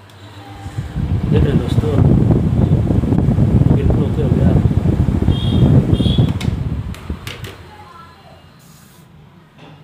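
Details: Bushed kitchen exhaust fan that was jammed by dust, after cleaning, oiling and refitting the blade. A low, steady whir builds as the fan spins up freely with no scraping or hesitation: running normally.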